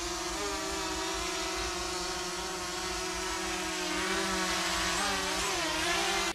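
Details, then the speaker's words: Overmax X-Bee Drone 9.5 Fold with brushless motors, four propellers, recorded by GoPro 2–3 m away during manoeuvres: steady high rotor buzzing whine shifting pitch; camera footage shakes, owner suspects uneven running of probably one propeller. "to jest to co nagrywa sama kamera na kartę SD w dronie czyli ten obraz najlepszy jakości jaką możemy uzyskać i jak widać jest drżenie to wynika właśnie z nierównomiernej pracy Prawdopodobnie jednego z tych śmigieł"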